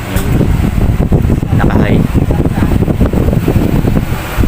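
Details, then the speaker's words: American Home microwave that would not heat, after replacing the terminal and fuse, reattaching the wiring and reconnecting the capacitor, plugged into 220 V: steady low hum with even fan rush, no buzzing or rattling; its earlier noise is gone, running normally and heating. "Nawala na rin yung ingay niya. Pinaka-ingay niya nawala rin."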